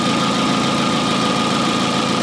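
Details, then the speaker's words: 2004 Hyundai Elantra idling with bright headlights, blower and rear defroster on: faint constant high alternator whine under load, charging about 13.8 V; normal charging, replacement alternator audibly working, unlike the previous one. "that is still charging just fine you know 13.8 with the optimal the 13.5 is fine to get that battery up to full charge so i am 100 okay with that i can really hear that alternator winding down too so i can tell it's generating"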